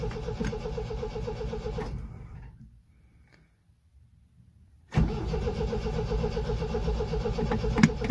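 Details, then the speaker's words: 1974 MGB GT on its first start attempt after 7–8 months sitting, with a little choke and the fuel pump already primed, after an earlier petrol leak: starter churns about four turns a second, pauses, recranks; cranks but won't fire, cause unconfirmed. "Oh dear. Right. Do I try a bit more choke? Don't really want to flood her."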